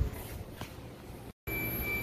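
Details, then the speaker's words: 2016 Ram 1500 EcoDiesel, no-crank/no-start: multimeter continuity check of the pink output control wire on the male side of a suspect connector; steady high beep after a short pause, so the circuit is good. "you can hear it we're on the other side on the male side to the pink we're good"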